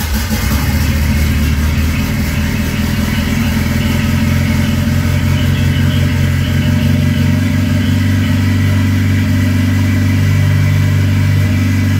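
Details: Ford Escort with turbo, R1000 injection and wideband, first start after fitting: steady, loud idle with an even low drone and constant pitch, no misses or knocks; oil level fine, leaks found; running normally.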